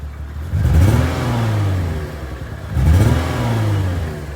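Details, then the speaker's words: Lexus IS350 V6 revved with traction/VSC lights on and check engine light flashing: rough uneven note with a lag in vibration from a misfiring cylinder. "I don't know if you can hear it but there is like a lag in the vibration so that's the sound of a missing cylinder"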